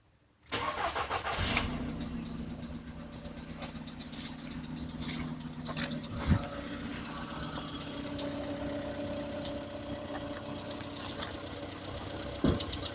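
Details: VW Polo Sedan on cold start: engine catches and settles into cold idle with a light tapping over the hum; knock heard when cold.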